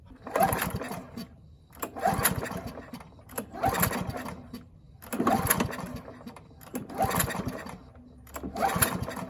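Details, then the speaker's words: Free Husqvarna mower, throttle cable missing, carburetor main jet stuck and uncleanable, trying to run on tank fuel: six pull-start cranks about every 1.5 seconds sputter but never catch. Hard starting from the stuck jet. "Okay, so since the jet is stuck in there, we couldn't clean it out. Let's just give it some poles and see if it manages to run on its own fuel through the gas tank."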